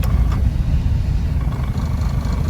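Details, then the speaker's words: Engine idling in reverse after drive and low: a low, lumpy, uneven throb, far rougher than it normally idles. It is fine in neutral, and the cause is not pinned down. "But see, that's not normal. That's way rougher than it always idles."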